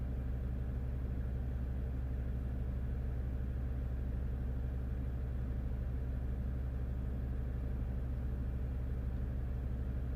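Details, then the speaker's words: 2015 Jeep Grand Cherokee Overland, Quadra-Lift closed air suspension, compressor already replaced, faults C156E and C15D9: compressor runs loud and continuously in a steady drone but the car doesn't rise, suspected low air mass in the reservoir. "oh no now the compressor is running I can definitely hear the compressor running quite loud the car is not really moving anywhere"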